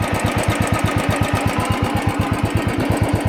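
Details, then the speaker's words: Royal Enfield single-cylinder at idle, tappet noise present since delivery: heavy steady beat near three taps a second over the thump, coming from a rocker arm beating; rocker arm tapping. "my noise is coming from here the rocker arm the rocker arm doing just the beating that noise"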